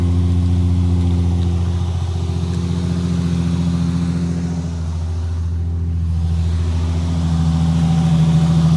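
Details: Nissan 350Z just revived by jump pack after a flat battery: steady, even low engine hum settling into a smooth idle, no knocks or misses; normal idle.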